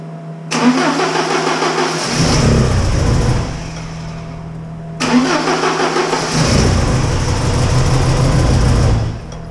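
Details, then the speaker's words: Porsche 944 with one fuel injector unplugged, timing confirmed correct: two cranks that each fire and run briefly with a lumpy, uneven beat, one cylinder dead; dead miss, running on three cylinders. Injector fault suspected, not confirmed. "that okay what I am so confused right now that just ran and obviously we were just running on three cylinders cuz we don't have one of the injectors plugged in but that just ran"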